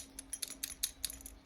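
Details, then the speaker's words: Ford Sierra Cosworth 2WD 70 A alternator spun by hand on the bench: light metallic jingling from four loose, undone internal screws rattling about, possibly the cause of its noise. "But yeah, you can hear it rattling and see the screws jiggling about."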